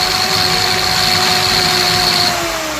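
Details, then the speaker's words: Drill machine run through a homemade series test board with a bulb in series; steady high-pitched motor whine, smooth and even, bulb glowing dimmer than before, indicating the drill runs normally. "तो यहाँ पे आप देखते हैं कि हमारी जो drill machine है उसके अंदर से आवाज़ आ रही है और जो बल्ब है वो पहले वाले से कम चल रहा है।"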